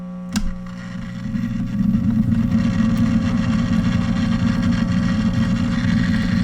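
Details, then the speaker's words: 1947 Silvertone wire recorder/phono/radio combo, under repair, playing an old recorded spool: after a click, steady hum and hiss with almost no recording coming through; very weak noisy output, cause unconfirmed. "thought I heard something on there H let's rewind it we'll try another spool"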